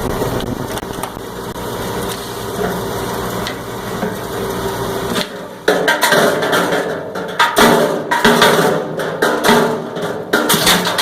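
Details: Cumberland 7.5 hp granulator, 12x12 cutting chamber, grinding PVC (Schedule 40 pipe, P-trap, fittings): dense irregular chopping and rattling of plastic pieces over a steady motor; normal operation, good granule size.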